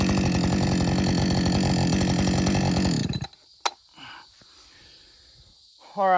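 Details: Husqvarna 562XP chainsaw back from the shop for dying when hot and stumbling; steady, even two-stroke idle with fast, regular firing beat, no hunting or dying off. Normal idle.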